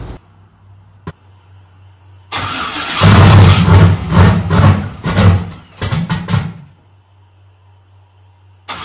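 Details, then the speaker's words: Gen 3 turbo LS on Holley Terminator X: starter cranks with ragged pops and coughs, never catching cleanly; backfire hiccup because the relocated front cam sensor's outer two wires weren't flipped, so cam and crank sensors disagreed; fixed by swapping them. "as you heard I'm getting that like that weird like little backfire hiccup thing going on and that keeps happening to me so I know there's something wrong happening"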